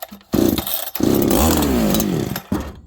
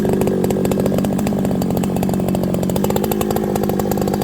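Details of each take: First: Farmertec 288 kit chainsaw, restarted on choke and fast idle: fires, climbs briefly, then sags, stumbles and fades out, won't take throttle; owner suspects a massive air leak after idle surging and a suddenly very rich run. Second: Farmertec 288 (90cc) kit chainsaw, fresh unbroken-in build, hot at end of first tank in green ash: steady clean high-pitched buzz at high revs, no misses or surging; running healthy and strong.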